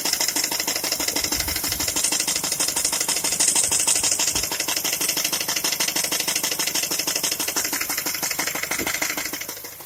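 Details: Skoda A5 (Octavia) 1.6 MPI at idle, owner asking what the problem is: a fast, fairly even, light ticking knock about three per second over a steady idle. Engine ticking, cause unknown.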